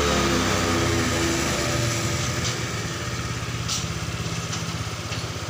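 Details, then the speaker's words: Honda Vario Techno 125 scooter idling evenly after repair, ignition no longer cutting out after a long test ride; earlier sudden stalling with lost spark was caused by dirt on the pulser, now cleaned; normal idle. "Jadi tadi ini udah diuji ya, udah dibawa jalan agak jauh. Tapi pengapiannya udah nggak hilang lagi ya."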